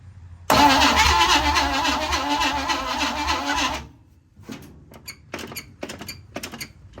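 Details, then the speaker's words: 1956 Chevy Bel Air with a freed-up, previously locked 265 engine and a carb leak: starter turns the engine over slowly for about three seconds, then stops, with no firing. Slow cranking, no start; suspected grounding issue. "So we're having a grounding issue on the car. I'm guessing that's why it's not spinning over fast enough, because that's spinning over pretty slow."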